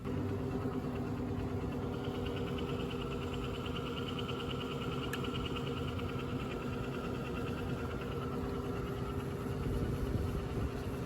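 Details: Newly installed 120-volt single-phase variable speed down blast exhaust fan, replacing a 40-year-old single speed unit, on first test run: low, steady hum and smooth, even drone with no rubbing, ticking or rattles; runs healthy.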